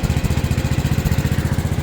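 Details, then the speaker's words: Kohler KT19-swapped Gravely 816 tractor: fast, lumpy thump with uneven beats and occasional dropped pulses as the engine misses and runs rough. The cause was a bad battery; it ran better once that was addressed. Check battery voltage for unexplained poor running. "Do you guys hear how it's missing and running bad?"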